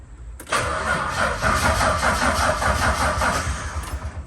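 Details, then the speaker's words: VH Charger after starter refit, new starter relay and jump pack: steady sluggish cranking at about two and a half beats a second; owner suspects a weak battery plus bad connections. "that is the sound i haven't heard in a very long time and i'm very happy to hear that that's just a weak battery"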